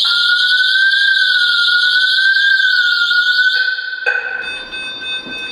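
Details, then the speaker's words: Delta Dore Tyxal Maison wireless alarm, intrusion triggered (bathroom): loud piercing tone wavering up and down for three and a half seconds, then cut off, as the system phones the owner. "donc l'alarme se déclenche et j'ai le système d'alarme qui m'appelle directement sur mon téléphone."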